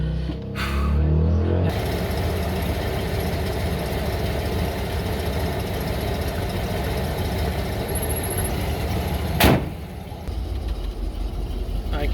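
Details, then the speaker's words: 1988 Ford F150 pickup, just after replacing spark plugs (wires not yet replaced): engine catches and settles into a rough, lumpy idle with uneven low beat; misfire persists, new plugs didn't fix it. "I can hear it misfiring. Oh yeah, it didn't do the trick."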